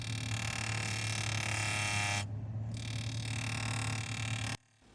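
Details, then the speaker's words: Refrigerator evaporator fan, incorrectly installed and tilted slightly up instead of straight, rubbing its housing: loud raspy drone over low fan hum; zip ties used to reduce contact until properly realigned. "the fan is tilted slightly up when it should be straight so what happens any pressure hits it it makes a noise"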